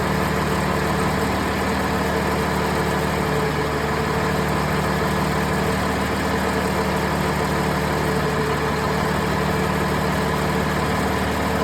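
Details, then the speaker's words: Cummins ISL9 diesel at idle during an ECM cylinder cutout test, with the A/C off, fan on and coolant above 170°F. Tone and rhythm shift slightly as individual cylinders are dropped, showing each one contributing; normal idle. "You can hear the pitch of the engine change depending on what cylinder you're cutting out."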